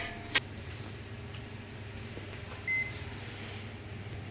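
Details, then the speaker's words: Laptop USB port not working (Dell/Lenovo/HP). On a quiet bench, a multimeter continuity test gives one short, high, steady beep across a board component. That part is shorted and will be replaced. "देखो, यह beep कर रहा है। मैं ऐसा नहीं करूंगा। यह इसमें बीप की आवाज आ रही है। इस में यह बुरा है।"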